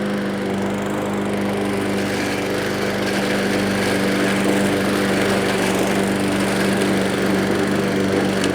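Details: Discarded walk-behind self-propelled mower after a service, a new spring and carburetor work: a steady, even drone while cutting under load with no surging or misses; running healthy.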